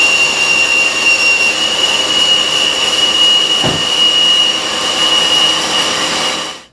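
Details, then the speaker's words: Mazda 626 with a cold engine, before repair: loud, constant high-pitched squeal over the idle from a worn idler pulley bearing. The pulley had 19 years and 125,000 miles on it. "you can really hear the noise was making there huh definitely that pulley definitely did not sound too happy at all"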